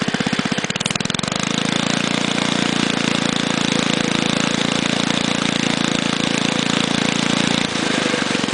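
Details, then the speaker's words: Barn-find go-kart engine, started on choke, winding up from a steady chug to a high buzz on the throttle. It stutters and misses badly when opened up, with a valve sticking from storage suspected; the owner thinks it will clear as it runs. "Now I'm going to wind it up with the throttle. And I'm sure you can hear that. It starts stuttering and missing real bad when you open it up, grabbing the"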